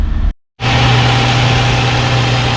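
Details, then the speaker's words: Infiniti G35 (2003-2007) restarted after valve cover gasket and spark plug replacement: steady, even low idle with no misses, ticks or knocks; running smoothly. "and my God you guys she's running like a bird oh my God she sounds so good"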